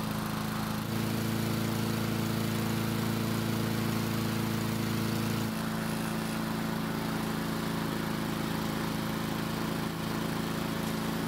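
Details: Husqvarna walk-behind mower that would not start, now restarting after about 5 minutes of running, following blade replacement. Small single-cylinder engine holds a steady, even drone with no misses or surging; normal healthy running.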